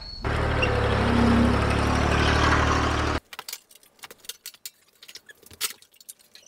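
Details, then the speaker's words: 22-year-old Grasshopper mower (parts listed for 2001 721D2): engine drones under a gritty, rough hiss, like bearings replaced with gravel, then handling clicks; worn deck spindle bearings, with blade wobble, to be fixed by replacing the spindles. "there are really two ways you can tell if you need to replace your spindles one is when you're bearing sound like they've been replaced with gravel every time you mow"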